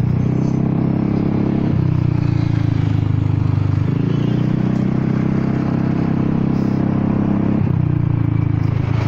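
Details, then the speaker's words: Honda Forza 300 scooter, riding with an aftermarket exhaust, quiet that morning but suddenly loud mid-ride. Heavy, deep exhaust roar with a rough rattling texture and brief dips, far too loud; the inner baffle has come loose inside the muffler. "ไม่น่าดังได้นะงงเลยไม่รู้อะไรไปหลุดังไปเลยเว้ยก็แปลกมันก็ยังอยู่ในท่อเหมือนเดิมทำไมดังได้วะ"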